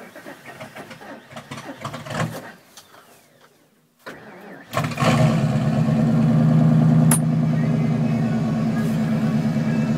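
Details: 1997 Ford F350 460 gas V8 mud truck, sat outside about a month, cold start at 13°F; several seconds of slow, labouring cranking, then catches and settles into a steady, even idle; hard cold start.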